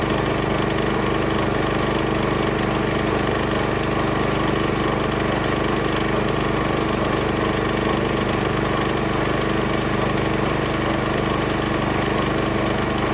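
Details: Small engine driving the water pump of a vintage custom gold trommel wash plant, spun fast through the small pulley: steady pulsing drone, hardly any water pumped; owner finds faster speed worsens oscillation and reduces flow, so plans slowing it.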